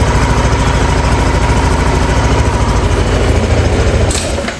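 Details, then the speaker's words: Yamaha NMAX V2 scooter, 2 years old, 19,000 on the odometer, after magneto and stator cleaning: loud, steady idle with an even quick putter, no scraping or rattle from the magneto side, then shut off; the earlier noise is gone. "So tama ako mga boss, yung ingay na naririnig ko noon ngayon nawala na. So okay na okay guys, sakto."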